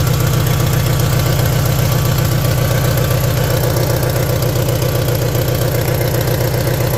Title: catalytic converter, there's a weird noise and my car is not running as it show be. help